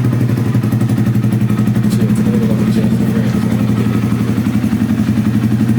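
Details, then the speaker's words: Honda Grom after minor crash, before front wheel and fairing replacement: steady, even single-cylinder putter at idle with regular firing beat, no knocks or rattles; engine healthy. "Let me crank it up for y'all to hear it. This sounds good. It's a fine ass bike."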